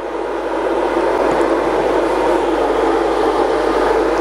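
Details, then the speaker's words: Coofix CF-MMA-250 IGBT inverter welder (250 A, 220–240 V) with auto idle, after welding: steady even fan rush, no rattle or grind; cooling fan at full speed, normal, idles after about 5 minutes. "Nah, ini kondisinya sekarang lagi hidup kan, terdengar dari suaranya ini sedang full dia hidupnya."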